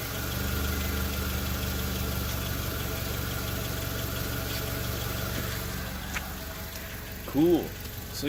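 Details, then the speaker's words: Car after ripped last O2 sensor wiring (run-over cat) left exhaust leaking; hole plugged with an unconnected junkyard O2 sensor: steady, even idle with smooth low hum, no raspy hiss or puffing; exhaust sealed, normal idle. "now there's no more leak sounds it sounds super clean doesn't sound all raspy anymore because I plugged it up with that old o2 sensor from the junkyard"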